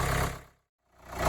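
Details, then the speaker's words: 2014 Kia Sportage 2.0 CRDI diesel idling for a couple of minutes after an oil and filter service; sounded slightly different for the first seconds, then even diesel clatter with a steady low rumble and no knocks or misses: normal idle. "you may have heard it it did sound a bit different in the first one or two seconds but now it's back to its original sound"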